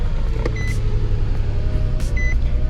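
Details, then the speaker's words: Nissan Xterra with 135k miles, at idle with codes P0300/P0305: deep, uneven, lumpy stumbling rumble, running very rough; cylinder 5 misfire, suspected faulty ignition coil. "So I mean, it's running so rough right now, I'm actually going to turn it off here, but it's tripping a code here, and that code happens to be P0300 or P0305."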